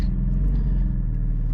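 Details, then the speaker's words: Porsche GT4 flat-six, 400 hp, while driving just off idle: a deep, even low boom with no ticking or knocking. Considered normal character for the engine, which sounds good once past that range. "i think they all do it it's just the nature of the motor once you get it to there it sounds good but that right off idle"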